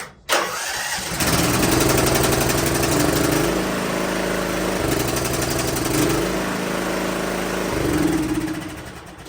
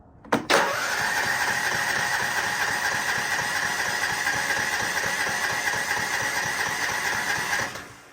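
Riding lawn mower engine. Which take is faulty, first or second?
second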